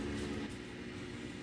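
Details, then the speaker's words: Rinnai tankless water heater after cleaning carbon buildup on heat exchanger (error codes 10/11/12), firing with no codes, recorded outside at the vent: steady even exhaust whoosh with low fan hum, no rattles or surging; normal exhaust blower. "And here we are outside, and that's blowing all the gases. And that's blowing all the gases and everything out."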